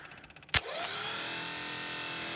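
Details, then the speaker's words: 1976 Dodge W600 Power Wagon sitting 20 years, in neutral; one clunk then the starter whirs freely without cranking; broken wires inside the starter solenoid stopped it throwing; needs a new solenoid; starter freewheeling. "But what was happening is the wires inside the solenoid, these little guys had broken off. So that's why it wouldn't throw anymore for me."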